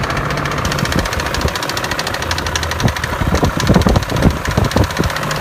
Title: E39 M5 clicking sound